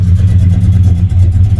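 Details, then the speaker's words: Cammed Ford EL Fairmont Ghia 4.0L on a J3 chip base tune, cold start with the idle-raising packer removed (expected near 650 rpm): low, slightly lumpy idle with uneven exhaust puttering and a fuel smell, running rich. "you can hear it putting a bit so it is running rich and definitely smell the fuel"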